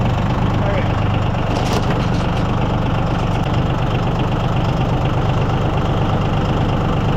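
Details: Yanmar diesel (used to unload a hit-and-miss engine) cold-started at about 48°F without glow plugs or thermal start: catches and settles into a steady low idle clatter, no misfires or hunting; healthy.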